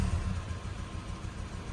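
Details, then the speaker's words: 2.7 VVT-i petrol van with factory CNG, switched from gas to petrol: low, lumpy idle with uneven beat and stumbles; rough idle/misfire persists on both gas and petrol, cause not yet diagnosed. "ผมฟังจากเสียงนะครับก็ยังไม่หายนะตอนนี้เป็นน้ำมันแล้วมากกว่าเป็นการ์ดอีกนะครับ"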